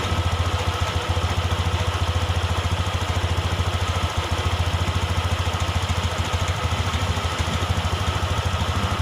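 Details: Honda Beat eSP injection scooter idling steadily: low even putter, regular firing rhythm, no hunting or surging; idle air adjusted by ear without a scanner; normal idle.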